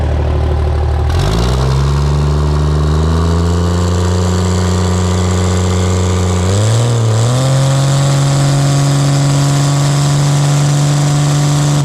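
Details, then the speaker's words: Pro street truck after a Motec M141 install, tuned and with spool-ups done. A steady, even idle climbs cleanly when revved, holds, then steps up again smoothly without stumble. Normal idle and free revving. "Since you guys last saw it, we've got it idling, free revving nice."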